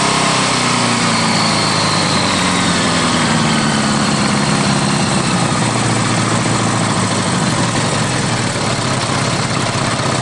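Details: Honda GL1100 at idle: busy, uneven clatter with a dull knock beneath, suspected rod knock with an oil pressure drop.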